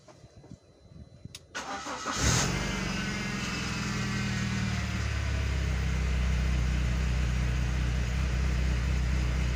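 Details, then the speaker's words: BMW E46 with N42 engine, test before repair: starts after a short crank and runs rough with an uneven shaking drone, coughing and severe vibration; rough running traced to a failed crankcase vent oil separator valve. "itu suaranya kasar kali suaranya kasar kali"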